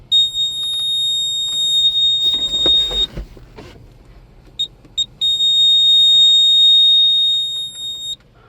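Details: Cab warning buzzer on a Case STX375 articulated eight-wheel tractor: high-pitched beeping with a long tone, two short chirps, then another long tone. It flags active engine fault code 482, low fuel-rail pressure, while the transmission fault is being diagnosed.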